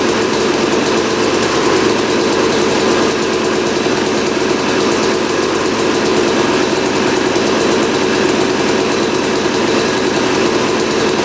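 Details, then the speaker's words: 1989 Honda CR250 two-stroke dirt bike, long sitting, after motor mounts tightened and idle adjusted: raspy, steady, burbly, slightly blubbery running without a crisp rev and heavy smoke; owner suspects the tank mix is too rich and hopes the crank seals are fine. "seems like the mix is pretty rich though in the tank it's uh smoking quite a bit"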